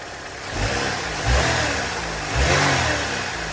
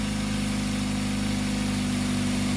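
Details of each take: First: First-gen Ecotec 2.2 (Ecotec), first start after replacing a dry-rotted hose: even idle, then two quick throttle blips rising and falling cleanly with no knock or miss; engine sounds healthy. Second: Idling engine with a loud, raspy, puffing exhaust note from a flex pipe with a hole in it. Exhaust leak.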